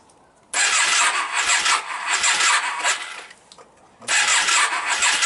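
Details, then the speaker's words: Yamaha Virago XV535 V-twin with replacement carbs, front exhaust pipe blowing: runs ragged with uneven, stumbling pulses, fades and restarts; rear cylinder not firing properly, owner suspects a coil breaking down, intake leaks ruled out. "it's still having the same problem with the the rear cylinder not firing properly"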